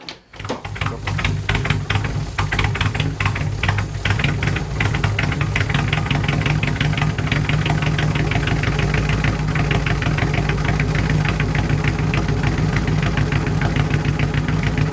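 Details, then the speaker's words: Bagged mini truck, first start after build, fuel poured in carb, possibly flooded, new small muffler replacing a MagnaFlow: loud, raspy, tractor-like idle with coarse low rumble; louder than before, owner unsure about new muffler. "well it's uh it makes noise it's definitely louder than it used to be not totally sold on the new muffler"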